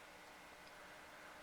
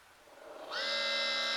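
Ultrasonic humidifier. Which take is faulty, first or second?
second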